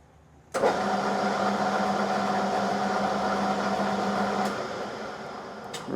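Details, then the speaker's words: Lathe turning 4140 steel shaft for steam roller, steady rest fingers adjusted and oiled, spindle at 300 rpm: constant even hum with no knocks or grinding; normal running. "right that's running nicely"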